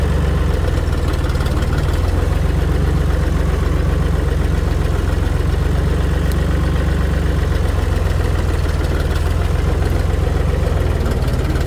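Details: Tractor running after its rotted-off muffler was replaced with a new one with a welded hanger for support; deep, steady drone with even low thrum, nothing sharp on top; smooth, healthy and much quieter.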